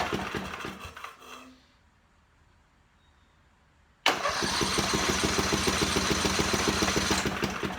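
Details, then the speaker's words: Portable generator, 4-stroke, electric start, no gas, fresh 5W30 synthetic oil and new filter: steady cranking at about three and a half turns per second, even, no firing, priming oil through the filter; normal cranking. "Now what this is doing is lubricating everything and pumping the oil through the oil filter to fill that up and getting it to all the components in the engine."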